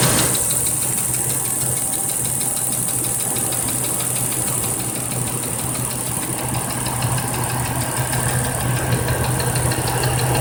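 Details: 1997 Cherokee at steady idle: regular light knock, roughly three or four a second, riding over the engine; sounds like a bottom-end rod knock.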